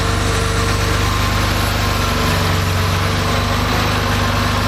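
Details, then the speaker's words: Rebuilt Porsche 2.7 L CIS-injected engine, hot start after sitting about 20 minutes: fired without throttle after a couple of cranks, smooth low-rumbling steady idle, no stumble or hunting; healthy hot start. "so our engine started right up uh didn't need any throttle which it shouldn't do if all your settings are correct"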